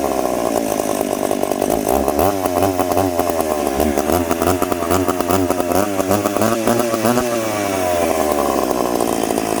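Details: Piped McCulloch Pro Mac 850 two-stroke chainsaw cutting two-year-seasoned oak, tuned ragged-edge lean: high screaming note sagging slightly in the cut but pulling about 10,300 rpm; strong, healthy.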